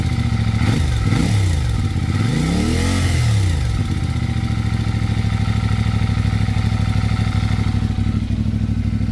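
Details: CFMoto 450MT at about 7,500 km: two throttle blips then idle with light quick clatter from the top end; suspected valve guide or cylinder head ticking, unconfirmed.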